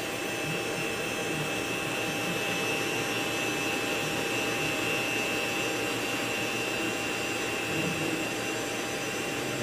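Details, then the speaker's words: Vintage Socket 7 PC (K6, 64 MB RAM, FreeBSD) with a SCSI hard drive: steady high spindle whine with busy seek chatter underneath, like popping popcorn; old drive spinning up and working normally. "gotta love the sound of those vintage hard drives like popping popcorn in the microwave"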